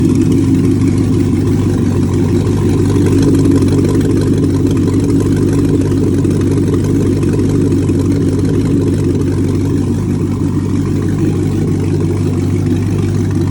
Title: 2008 Corvette Z06 Running out of Fuel Causing No Start Condition